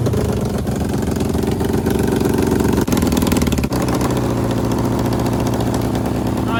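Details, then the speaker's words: 750cc half-scale NASCAR kart, cold start after sitting about two months. It likely died earlier when the chokes were turned off too early. Now runs rough on choke, revs dipping and stumbling, not warm enough to hold idle. "It was running good, but it didn't want to idle."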